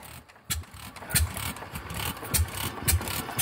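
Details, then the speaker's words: Fairbanks Morse 208 oilfield engine newly fitted with a magneto in place of failed electronic ignition: sharp, spaced clicks about every half second while turning over; the magneto's normal impulse coupling, which electronic ignition doesn't produce. "that click is called impulsing that's what I was talking about while ago give her some fuel here so that impulsing on a El ronic ignition won't do that"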